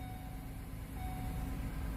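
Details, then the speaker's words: Ford Transit with a misfire, cranked in clear-flood mode with the pedal held down, then started and shaking at an uneven, lumpy idle: a dead cylinder with no compression. "she's not going to start she's going to crank like crazy that sound right there that's a dead hole we don't have compression on one cylinder"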